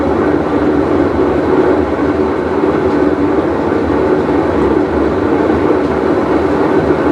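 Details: Whirlpool Cabrio washer with bad bearing, full wash cycle: steady loud rumbling roar, constant as the drum turns, with a coarse gritty edge; worn tub bearing.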